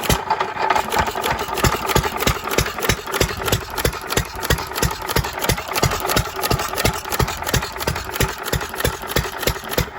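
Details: 3 1/2 hp small-block Jaeger engine, previously stuck, running after reassembly: crisp, evenly spaced firing pops about three per second with light mechanical rattle; normal running.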